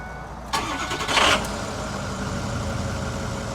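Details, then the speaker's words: Ford F350 6.0 diesel with replacement engine, left outside overnight in snow, after properly installing loose glow plugs: short crank, fires right away into an even cold idle with no black smoke; normal cold start. "Sweet, dude. And none of that black puffy smoke. Give me a little gas. Just sitting here cold. Freaking awesome."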